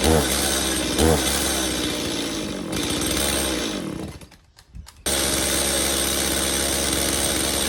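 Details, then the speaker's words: Stihl MS180C two-stroke chainsaw, long unused, with new spark plug; screams along, then sags and nearly dies when opened to full throttle before catching; worn carburettor diaphragms suspected, fixed later by carb rebuild with new metering and pump diaphragms. "all right so it does start and run uh however once I gave a Full Throttle it would just shut off so almost definite we need to dig into the carburetor and uh put new diaphragms check the screen you know the whole enchilada"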